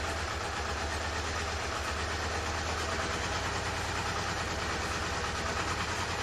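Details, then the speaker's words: Honda CB-1 four-cylinder motorcycle during refurbishment, cold start: uneven, stumbling idle with ragged exhaust, starting on two cylinders before the third and fourth cut in; rough cold start misfire. "starts and runs um i didn't expect it not to start but i just wanted to see how it runs and you could hear it started on two cylinders then the third cylinder kicked in and then the fourth one"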